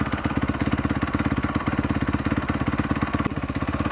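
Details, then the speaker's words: 2017 Honda CRF250R after sitting in storage, low idle: quick uneven clicking about two beats a second, lumpy and near stalling; owner suspects auto decompressor engaging as engine spins too slowly, unconfirmed. "It just doesn't spin quick enough and you can hear it click click click click click and then it'll stall out cuz obviously the auto decomp's engaging, loses pressure, and turn off."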